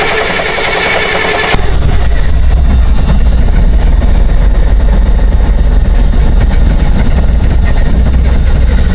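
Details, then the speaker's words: 1962 Kenworth W925, Cummins Big Cam diesel, sat 18 years, cranked on ether. Heavy uneven low churning that never picks up. It is fuel-starved: the return line is dry and the filter is not pulling fuel. "I'm manually opening the fuel to the shut off solenoid to make sure it's getting fuel."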